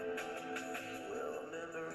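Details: Self-repaired radio receiver tested with a soldering iron used as the antenna, hiss at first then music playing clean and steady with no hiss or dropouts; normal reception.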